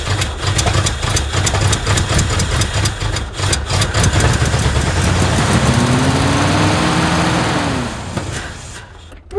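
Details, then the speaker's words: Abandoned 1979 Ford F150 with modified 351 V8: lumpy, stumbling, smoky run not firing on all cylinders, briefly clearing for a couple seconds then shutting off; owner suspects something clogged inside the carburetor. "it's definitely not running on all the cylinders all the time. But then it kind of clears up and does for a couple seconds, then it shuts off."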